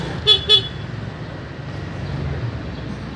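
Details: Yamaha Mio GT scooter with a dead electric starter: the horn gives two short, bright beeps clearly over light background noise. It works normally, so the battery still has charge.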